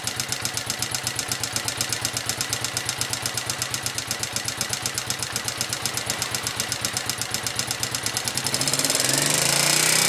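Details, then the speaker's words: Honda XLV 750 motorcycle, front cylinder: sharp, regular metallic knock about four times a second over the idle, louder as revs rise; source undiagnosed. "Bon, comme promis, voici une petite vidéo sur le bruit de mon moteur."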